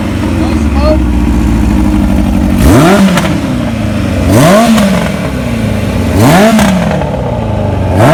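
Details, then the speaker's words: 1981 Kawasaki KZ1000 CSR engine after new oil, plugs and spark advance service, charging system good: crisp, clean four-cylinder revs rising and falling with strong, even pull and no misses; runs normally. "that's how it's supposed to sound right there that's a good motor"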